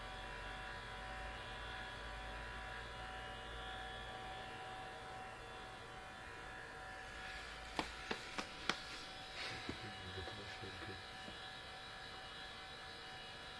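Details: New Sony Vaio CS11S/W laptop under full load, about 60 dB, cores at 100°C and throttling: loud steady whirring hum with buzzy edge, some handling knocks; cooling fan mechanically faulty, should be replaced.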